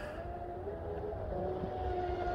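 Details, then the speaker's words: Pro Boat UL-19 hydroplane on its first run after a rebuild, with a Castle Hydra XLX2 ESC and SMC packs; a thin, steady high screech over a churning rumble as the boat nears, plus power cutting; no smoke, motor at 113, ESC at 85. "all right so it sounds like something's screeching almost like a I don't know what to do with no smoke that's a good thing"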